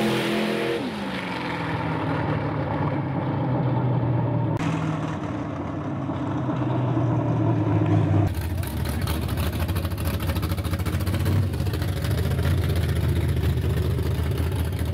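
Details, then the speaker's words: V8 revving to high RPM after fixing a voltage problem that had caused crackle: revs cleanly and holds steady with no crackle or misfire; healthy. "so yes it was voltage voltage one-zip problem got rid of the crackle and that's why you're good all the way up in the RPM"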